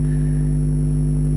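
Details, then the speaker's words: Clean 50 Hz sine wave through the car audio subwoofer amp with gains set properly: steady, smooth low hum without rasp or buzz, undistorted output, no clipping. "Now let's go back to a clean sine wave. There we go. 50 hertz, clean. Really clean. This is a beautiful signal. The gains are set properly."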